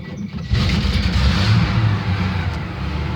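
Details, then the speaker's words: 1971 Chevy C10 cold start after sitting a while: brief labored slow crank from a weak, aging battery, then a deep lumpy rumbling start. "that battery doesn't sound good that's not a good sign hopefully to start I'm hoping this is a cheap battery this probably outlived its lifespan already"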